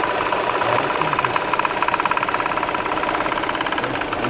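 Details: VW Tiguan with engine running: fast regular knocking, about three or four per second, ticking over the engine; the air-conditioning compressor is knocking.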